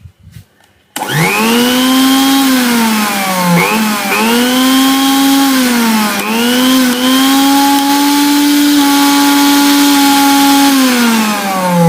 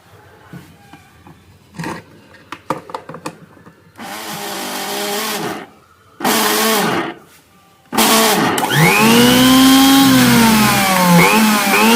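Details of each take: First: Butterfly mixer grinder after its vibration bush was replaced and the top coupler reseated, following complaints of noise and vibration: steady smooth motor hum with a clean tone, dipping briefly under load and recovering, no rattle or grinding; runs normally after repair. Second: Butterfly mixer grinder shaken while running: "kadak kadak" knocking sound and vibration, rough wavering whine with rattling; worn top motor bush, fixed by replacing the bush (six screws on the bottom opened).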